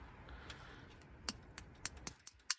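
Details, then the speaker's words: 1942 Ford 200ci engine sitting 20+ years, distributor cap off after the points were cleaned, key on: sharp, crisp snapping ticks at the points at irregular intervals; good spark now. "Got a good spark there now."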